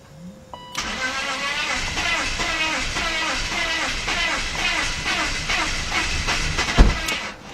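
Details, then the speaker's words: BMW 5-series (525i/528i/530i/540i) that cranks but will not start: the starter spins the engine steadily for about six seconds and it never fires. Owner suspects it is flooded, possibly with plugs fouled from cranking. "Wow. Sounds like it's flooded or something."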